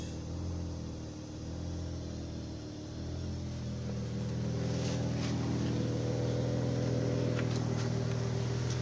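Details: Vehicle that died and wouldn't start after a day of standby, with low battery and no cold aircon, started after repair and overnight parking with the battery at 12.4 V. It runs smoothly and revs evenly with no stumbling: a normal start and idle.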